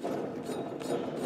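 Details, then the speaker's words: John Deere L-Series mower deck with spindle guard and belt removed: turning the pulley by hand gives a rough, gritty grinding about three surges a second; a worn spindle bearing that needs replacing. "needs to be replaced. When they start making noise like that, that's pretty much a telltale sign."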